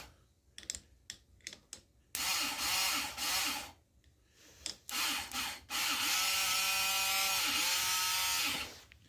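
Short bursts, then a long high whirring spin that holds steady; the starter motor turns freely and cranks the engine over.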